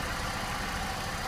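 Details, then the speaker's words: 2008 Chevrolet Sport Van 1.6 L: rough, uneven idle with irregular low thumps, a misfire because cylinders one and two get no spark; injector pulses were present. "naturalmente si no están trabajando dos de nuestros cilindros pues vamos a tener la inestabilidad que aquí se está haciendo presente"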